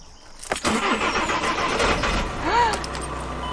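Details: VW Crafter/Mercedes Sprinter diesel van after dropping the fuel tank and fitting a diesel-heater auxiliary fuel line, warm day (~25°C), in neutral: short crank, then the engine catches and settles into a steady diesel run with no stumble; starts normally.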